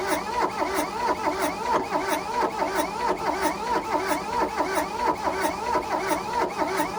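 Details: 1982 Volkswagen Rabbit diesel pickup (Caddy), sitting in a junkyard about 20 years: slow, steady cranking at about 1.5 beats per second with no firing, turns over but won't start; timing belt suspected to have jumped and bent valves, unconfirmed.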